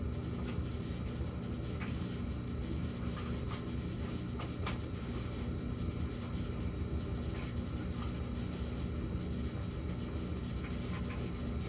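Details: Samsung gas dryer in the low-hum phase of its fixed pattern (high 14 s, low 38 s, then none for minutes): constant deep hum with rumble, no knocking or scraping; cause unclear.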